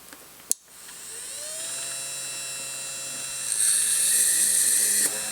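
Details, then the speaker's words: Innocraftsman mini drill press drilling circuit board material at about 3/4 speed (16–17 W shown): steady high motor whine with a brief bite as the bit cuts through, even and smooth; it drilled cleanly with no problems. "Well, that worked very well. No problems there. Ate right through it."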